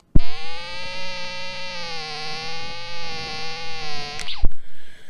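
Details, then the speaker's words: TIDRADIO TD-H8 Gen2 dual-band 2m/70cm handheld radio transmitting on high power (up to 10 W): steady, slightly wavering buzzy tone while keyed, stopping at release; varies with frequency, largely absent on low power; cause unknown. "I'm sure you can hear that it emits a certain sound or tone now it doesn't do it on every frequency"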